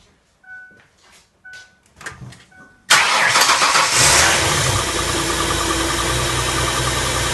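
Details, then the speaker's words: 2004 Mercury Monterey (codes P0316, P0300–P0303, P0171, P1270) after reworking ignition wiring and fitting new downstream O2 sensors and cat pipe: chimes, clicks, quick crank-start, then smooth steady idle, no exhaust leak or misfire. "Pretty smooth. Don't hear any exhaust leaks. No misfire, so that's good."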